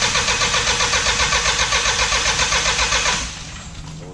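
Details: Diesel truck that sat 5 years, after bleeding fuel at the injectors: fast steady cranking chatter for about three seconds that dies away without catching; turns over but won't fire, cause suspected, not confirmed.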